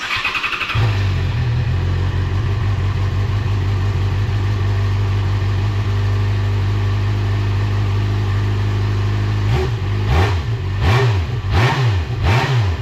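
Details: Motorcycle after service with new spark plugs, air filter, cleaned airbox: fires at once into steady, even idle, clean throttle blips rising and falling smoothly, no misfires; normal start.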